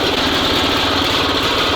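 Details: SMZ invalid carriage with a two-stroke engine, first start after long storage: fast, buzzy idle that stays steady and even with no misses or rattles, and charging works; the engine is idling normally.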